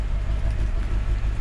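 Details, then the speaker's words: Totaled 2006 Mercedes-Benz E500 4matic V8 wagon with heavy front-end damage, heard at the rear by the exhaust: steady low burble at idle, even pulses with no misses or knocks, no exhaust smoke; healthy idle. "it's running smooth back here nothing not when smoke coming out of the exhaust sounds good"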